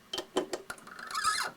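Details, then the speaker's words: 7x10 variable-speed minilathe cutting a thread in brass by rocking the chuck with the chuck key a quarter turn forward and back: a few sharp clicks, then a brief high squeak typical of brass, which lubricant keeps down. "that squeaky sound you hear this is very characteristic of brass so even though usually we do not put lubricant on brass I like to use it when I'm tapping or threading just keeps that noise down"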